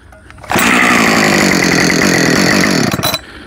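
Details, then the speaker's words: Husqvarna 562XP Mark II chainsaw, new, warmed up, stock muffler: hot start on one pull, steady crisp idle without hanging on high idle; normal hot start and idle. "oh re uh hot start now it's definitely warmed up right let's just see if it's a one [Applause] pull it is"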